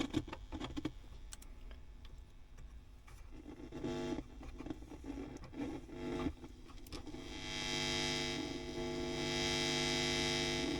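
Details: WEM Power Musette Mk 2 valve amp (accordion version of the Dominator Mk 3) on the bench before service; steady low hum with buzzy edge and hiss building later; very noisy channel, cause still unknown, non-original pot fitted.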